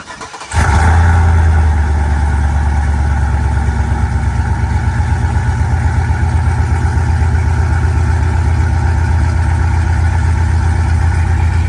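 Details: Cammed 6.0 V8 swapped into a Chevy Silverado, just after fitting Speed Engineering longtube headers; it cranks and catches, then settles into a choppy, lumpy idle while warming toward operating temperature. Checked for exhaust leaks; normal cammed idle.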